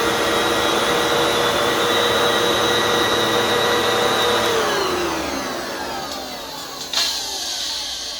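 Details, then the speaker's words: Used Fantom Fury 10-amp vacuum reported to sound bad, first run: loud rough roar with a steady high whine, then a falling pitch as it spins down; noisy motor, cause unclear. "Oh, yeah. Honestly, that could be worse though. Like that honestly could be worse."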